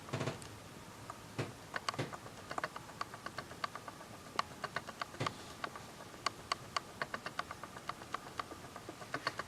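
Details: Canon S100 camera: sharp, dry clicks at an uneven pace, several a second, in a quiet room. Abnormal clicking, cause unclear.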